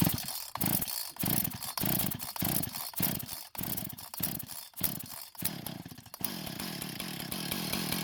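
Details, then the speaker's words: Husqvarna professional-grade chainsaw that wouldn't start and leaked fuel, started with no fresh fuel after long disuse: fires and surges in choppy bursts, then settles into a steady high buzz, running on residual fuel left in the lines; engine and carb working. "so it appears the engine and more importantly the carb is in working condition and was running on the fuel that was still left in it from the last time it was working"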